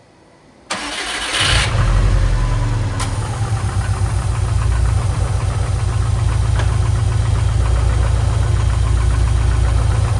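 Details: Subaru STI after an engine rebuild: the engine catches and idles with a fast, fairly even knock underneath. The clutch assembly shifts when the pedal is pressed, and the owner suspects a cracked firewall; cause unconfirmed.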